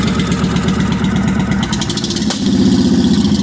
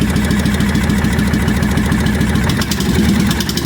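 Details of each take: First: 1998 Honda Shadow VT1100 abandoned bike, carb bowls drained and fresh gas added, running without coolant or radiator: lumpy V-twin idle with one sharp pop while the choke is still open; backfire, smoother once the choke is turned down. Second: 1998 Honda Shadow VT1100 abandoned bike after carb bowls drained and fresh gas, running without radiator or coolant: loping V-twin idle, steady uneven beat, slight backfire with choke open, smoother once choke turned down; normal idle.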